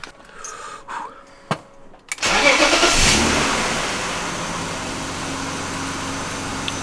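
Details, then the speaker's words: 1997 BMW E36 M3 sedan after fitting a refurbished AC Schnitzer muffler and fixing an exhaust leak near the cats: quick start settling into a smooth, even, quiet idle with no exhaust ticking; no exhaust leaks heard. "Ooh, I don't hear any exhaust leaks. Ooh, still nice and quiet."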